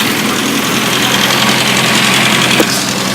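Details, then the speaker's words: Freshly rebuilt 1380cc Mini engine on a test stand with a test alternator and test exhaust. Smooth, even idle with a steady hum and no knocks, misses or vibration; no oil leaks. Normal idle. "Beautiful, quiet, no vibration, smooth, shift through all the gears, no oil leaks. Looking very nice."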